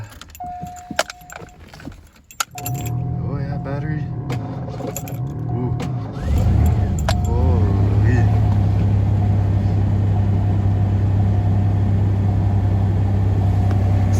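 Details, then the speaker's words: 1990 Ford Ranger XLT 4x4 2.9L, 5-speed, cold start after sitting in snow with a possibly weak battery: keys jingle and a door chime sounds, then a short crank catches into a firm idle that stays even while warming; normal cold start. "no problem all right let her warm up pull her up in the driveway there"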